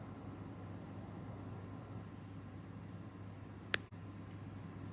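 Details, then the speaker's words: Car audio: key turned off so the Android head unit cuts power while the amplifier stays on; faint hiss then one sharp pop and audio cuts dead, a turn-off timing fault whose loudness depends on amp volume. "它会pop一声的，但是pop一声在你的车哦，看你的M的volume有多大，volume大的话你会很大声，有pop一声。"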